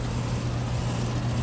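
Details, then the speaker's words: 2022 Rheem 3.5-ton straight-cool condenser with Genteq fan motor and scroll compressor, suction line getting cold: a steady, even low hum with no knocks, rattles or squeal. "And here's the downstairs, which is much quieter. It has a Genteq motor. It has a scroll compressor."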